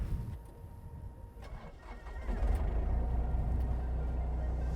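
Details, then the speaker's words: Komatsu PC35 mini excavator diesel start during the pre-operation inspection: quiet for two seconds, then it catches and settles into a steady, even low rumble with no knocks or misses; normal, healthy start. "That's my final check, and honestly, it's a little bit of where you just start listening. If I hear anything that might sound abnormal, obviously if the machine had trouble starting, there's a lot of other indicators there that might mean something needs to be looked at further."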